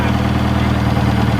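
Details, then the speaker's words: 1967 Toyota RT40 Corona engine: steady even low idle with smooth regular beat, no knocks or misses, "just like a bought one"; normal idle. "just like a bought one all right it sounds pretty cool too"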